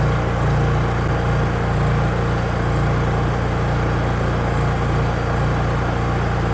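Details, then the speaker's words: Honda EU3000is generator after carburetor replacement, fresh gasoline, run outdoors: smooth, even low drone at constant speed with no hunting, misses or surging, fastest crank-up seen; normal running. "Now I'm going to crank it up. That's the fastest I've seen it crank up."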